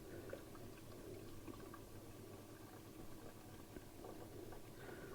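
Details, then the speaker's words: Hotpoint 6834 dishwasher, over 20 years old, after fixing no-drain fault at drain pump, pre-wash cycle: first of three fills, quiet steady rush and gurgle into the tub, no knocks or pump whine; normal fill. "this is the first fill and it's just topping up inside the tank"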